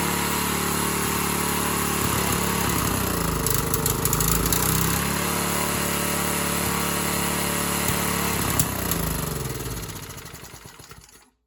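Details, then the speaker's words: Free Briggs & Stratton 3.5hp edger engine, model 091202, with carb issues (stripped bottom carb screw fell out): a steady, even putter at about four beats a second for ten seconds, then fades as it shuts down; normal running. "But as of now, it runs, you know, as it should in the state that it's in. So, we'll fire it up quick."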